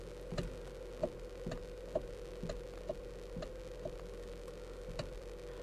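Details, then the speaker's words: 2013 Kia Soul, inside cabin: sharp light clicks about once a second over a low steady hum, intermittent annoying noise caused by a worn steering column coupler. "Got to fix that annoying noise. So I'm going to show you the part that's going to fix that problem, and then we'll get to work. So guys, that noise you just heard is being made by this small thing right here."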